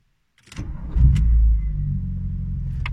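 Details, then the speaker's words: VW Golf 2 1.8 90 hp (GU engine) after replacing hydraulic lifters and refitting the timing belt: quick crank, brief rev, then smooth low idle with lifter clatter gone; normal start and idle. "bon ça y est le bruit des claquements de poussoir est résolu il a disparu ils sont même réamorcés plus vite que ce à quoi je m'attendais c'est bon signe la voiture tourne bien"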